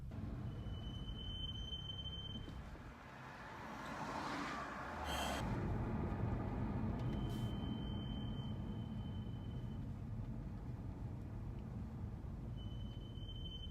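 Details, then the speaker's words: BMW M235i with M brakes, pads changed two weeks earlier: thin high-pitched brake squeal for a few seconds in city stop-and-go traffic, initial squeal on braking then fading; squeaking for six months despite repeated bedding. "It's funny now, there's an initial squeal when I hit the brakes, and then it goes away."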